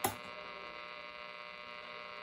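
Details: Sylvania 1-251 tube radio from about 1950 on weak low-frequency AM stations: a steady buzzy hum with even harmonic tones under the station; not caused by room lights, and the source is not yet found.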